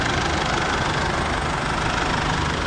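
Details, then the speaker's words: Isuzu MU-7 4JJ1 diesel at idle with air conditioning on after new, correctly tensioned front drive belts: steady, even idle with no squeal or chirp; belt drive quiet and healthy. "ถ้าสายพานใหม่นะครับแล้วก็การตั้งเต็มที่พอดีสถานรถมาครั้งแรกก็จะไม่มีเสียงทุกตัวนะไม่มีเสียงยึดArtนะครับผมแม่ให้แอร์ทำงานก็จะเงียบนะครับ"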